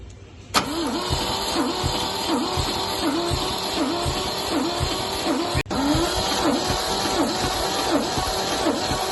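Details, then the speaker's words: MGC 3.0 straight six garaged about 33 years, compression test cranking: even, repeating beat on each compression stroke with no uneven lulls; healthy compression, about 150 across the board, around 140 on number 1. "See, all 150 across the board. Well, 140 or something, I think, on number 1."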